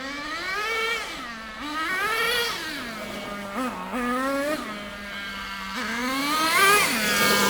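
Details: Nitro RC car engine with the high-speed needle set right on the lean edge. High-pitched buzz wavers with revs and the tick-over hangs high between blips. The remedy is to richen the high-speed needle again, then adjust the low-speed needle.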